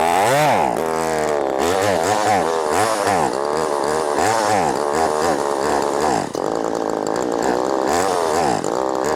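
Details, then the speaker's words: Ported Poulan Pro 4620 chainsaw with an 18-inch bar and cable-style throttle, during idle adjustment. It revs up and down with a blubbery, uneven burble between blips. Tune went from too lean to too rich and it runs out of fuel; a carburetor problem is suspected. "Had it way too lean. Now it's too rich. running out of fuel."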